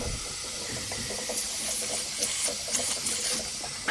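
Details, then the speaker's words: Mazda RX7 turbo boost leak test: loud steady high hiss with bubbling spurts as air escapes under pressure from holes in homemade intake welds and an eBay blow-off valve; a big leak. "yeah look at that that's a mess i'm struggling there yeah it's a big leak"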